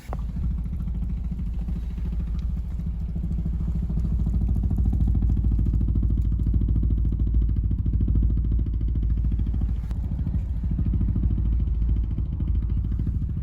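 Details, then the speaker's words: VW Jetta 6 at 80,000 km, cold start: a deep booming drone with a fast throb, like heavy bass, and vibration felt across the rear and trunk area. The exhaust pipe is suspected; it stopped after driving to the nearest traffic light. "причем такая вибрация была И не только слышно было но еще как будто бы знаете как как басы такие идут"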